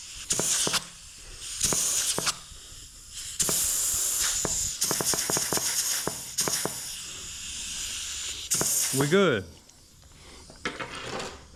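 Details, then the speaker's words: Rebuilt 1968 Ford C6 automatic transmission, bench air check of the forward clutch drum: short air-hiss bursts with a firm clean stop each time and no steady bleed-off; forward drum holds air. "so now full PR shim goes right there forward drum right there air check"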